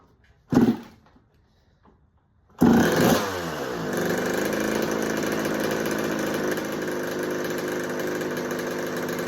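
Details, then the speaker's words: 1986 Kawasaki KX125 two-stroke, running after a no-spark no-start repair, spray test around the head gasket for air leaks: steady, even idle that doesn't change, so the head gasket seems fine; normal idle. "All right. So, our head gasket appears to be fine. I didn't hear the idle change last."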